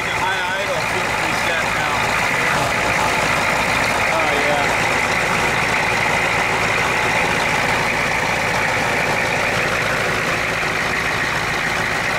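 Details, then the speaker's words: 1991 Ford F250 IDI diesel, warmed up, fresh air filter, at a raised idle where it used to stall. Steady fast diesel clatter, no dips or stumbles; now running smoothly without stalling, purring. "where it used to have the stalling it would stall right there good you go she's purring"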